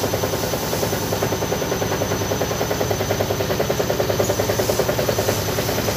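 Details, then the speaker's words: Side-door front-load washing machine at spin: rapid rhythmic thumping about three a second shaking through the spin; violent vibration. "ini terjadi getaran keras ya ternyata ketika Spin saya coba cek nanti"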